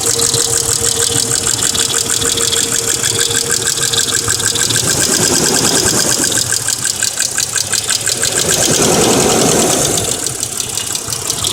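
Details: 1999 Mercedes ML320 W163 petrol, almost 200k miles, steady idle with fast even lifter clicking that began after an oil change (Mobil Super 3000 X1 5W40, new filter); previously only 10–15 s on cold start; audio boosted; suspected noisy hydraulic lifter.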